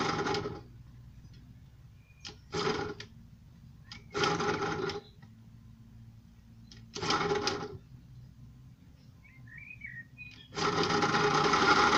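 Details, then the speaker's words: Puch E50 moped two-stroke, formerly seized; it runs only while the throttle cable sheath is pulled by hand, so it needs an adjuster. Short buzzing bursts with quiet gaps; the suspected aftermarket Chinese carb is probably set up wrong. "it worked when I held the throttle cable out so it needs some sort of adjuster II type thing in there"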